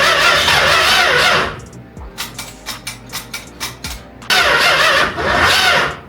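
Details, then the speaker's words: 440 big-block swapped Dodge Dart Swinger, cold out, after timing attempt: starter grinds, a few cylinders catch in uneven sputtering pops, then it dies and cranks without starting. Owner suspects timing, possibly wiring; later thinks it may have flooded. "Okay, my guess is that we're just severely out of timing, or our wires are messed up. She fired over for a minute. That means it's timing related, so we need to go back to the drawing board."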